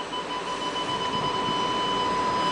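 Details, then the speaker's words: 2008 Infiniti QX56 reversing toward a parked car: parking sensor beeping speeds up until it becomes a continuous, unbroken high beep, the solid warning that the vehicle is very close behind; normal operation. "You can hear the beeping. The beeping increases in speed till eventually it will become a solid"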